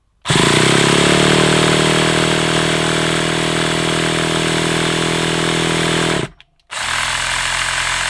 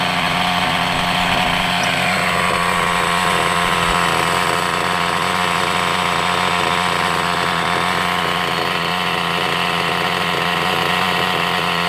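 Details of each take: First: Hobao Hyper 7 nitro RC engine, stored over two years, primed, throttle possibly too far closed: starter buzzes about six seconds without catching, coughed a couple of times; owner suspects flat glow starter. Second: Hobao Hyper 7 nitro RC engine, sat over two years, running after nitro poured into carburettor throat: high raspy steady buzz without sputtering, sounds healthy; tick-over (idle) screw needs adjusting as slide closes fully.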